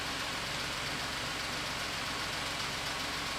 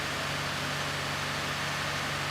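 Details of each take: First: 2017 Ford F-150 3.5L EcoBoost, freshly swapped engine with new low and high pressure fuel system, first start: light quick ticking over smooth idle, possibly new lash adjusters pumping up or high pressure fuel pump. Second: 2017 Ford F-150 3.5L EcoBoost after engine swap, first start with new low and high pressure fuel systems after long priming crank: steady, even idle hum over light hiss, no knocks, ticks or misses; normal idle.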